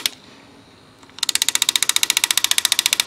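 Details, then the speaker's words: Old driver-side heat door actuator from a 2007 Chevy Impala (9th gen), powered on the bench: fast even ticking, about fifteen clicks a second, as the worn plastic gears skip instead of turning under slight pressure. "now this is the old one I put power to it and as you can see here the plastic gears once you put little pressure here they can't turn"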